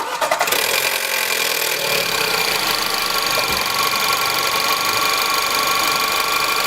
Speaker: así esto suele ser porque la cadena de distribución está floja usualmente los tensores hidráulicos se dañan y se escucha este ruido